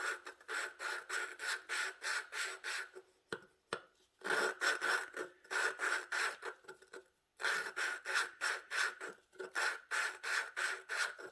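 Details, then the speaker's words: Hand lapping the exhaust valve with a suction-cup tool, pressing down, on an 18 hp Vanguard head; gritty rasping at about three strokes a second, gravelly scrape showing the seat isn't bedded yet, easing as it laps. "And I'm pushing down too as I'm doing this. I'm pushing down on the suction cup. See, it doesn't sound so gravelly anymore."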